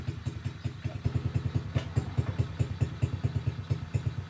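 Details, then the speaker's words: SSR pit bike single-cylinder engine started on choke, quick even putt-putt pulses at a steady pace with light clatter; runs cleanly despite a worn carburetor still due for replacement; kill switch not working. "okay well that's good news it runs"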